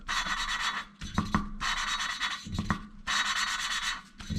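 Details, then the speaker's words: Valve lapping with a lapping stick on a cylinder head, first valve: gritty back-and-forth rasping in strokes about every 1.5 seconds with short pauses. The rubbing gets quieter as lapping goes on and slightly louder after each reposition. Normal lapping. "can hear, as the more I do it, the quieter the rubbing sound will get. Obviously every time I reset position, it gets slightly louder again."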